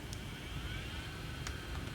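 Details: Fisher FVH 4901 VCR head drum after replacing a 25 V capacitor near the drum driver; it had spun slowly with clicking before. Steady, even high whir with no wobble or scraping as it spins up to normal speed. Normal head drum spin.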